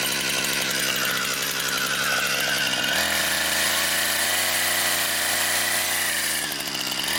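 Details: Brand-new Husqvarna 460 Rancher chainsaw on its first run, cutting pine firewood: a high two-stroke buzz that sags slightly as the chain bites and picks straight back up. It is a strong, clean-running, healthy saw.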